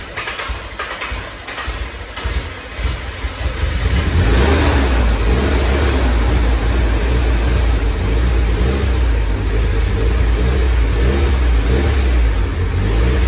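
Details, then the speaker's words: Nissan 240SX S13 SR20 first start, vacuum lines blocked off, exhaust fitted: rough stumbling crank catches after about four seconds, settles to steady even low idle; normal idle. "it runs it's holding either right now I just had to block off yeah vacuum because I don't have that got my exhaust on too"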